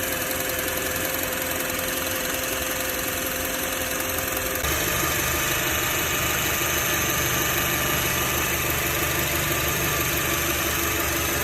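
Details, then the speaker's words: Car engine idling in car after replacing the belt tensioner pulley, which had caused belt-side noise; steady even idle with smooth hum, no squeal, rattle or chirp; owner feels slight improvement. "感觉怎么样？我感觉有点改善，不知道是不是心理上的原因，反正不白折腾。"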